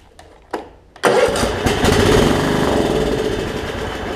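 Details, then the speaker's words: Craftsman LT1750 riding mower, Kohler engine: a few starter cranks, then it catches and runs rough as fuel arrives; the fuel pump isn't pumping gas, crud in the tank suspected. "let's see if we can get him to kick over here how about that so we have to figure out why the fuel pumps not pumping gas she could just be there's a bunch of crud in the gas tank"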